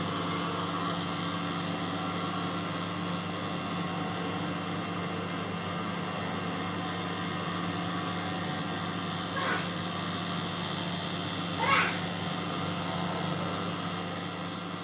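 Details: LG microwave oven running with loud steady droning hum and a couple of brief scraping rasps; attributed to the turntable motor.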